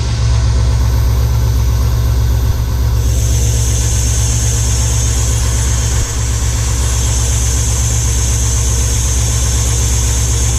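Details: Square-body Suburban Chevy V8 on its first start after an Edelbrock Pro-Flo 4 EFI install, still cold, before idle-air adjustment. It gives a deep, loud idle with a steady lope and one brief dip around six seconds; the idle sounds unsettled.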